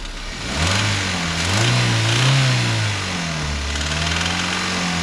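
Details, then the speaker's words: Toyota Terios: the engine is blipped and settles back to idle with a metallic chattering rattle on top, suggesting a slack timing chain. "just a quickie on the tereos um timing chain rattle have a listen and see what you think so"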